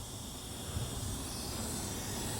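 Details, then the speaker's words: Dodge Caliber SRT-4 boost leak test with a home-made 3-inch tester and portable air tank, engine off: quiet steady hiss of escaping air, seeming to come from the throttle body; pressure drops back to 0. "You guys hear that? I hear something. So it sounds like it's coming from my throttle body"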